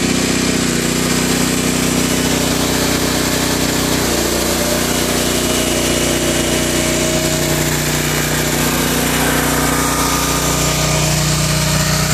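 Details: Generac 7000EXL generator converted to tri-fuel, running on propane from a 20 lb cylinder, loaded with vacuum cleaners and 1500 W heaters: steady drone, small pitch dip as load comes on, then recovers and holds even; healthy under load.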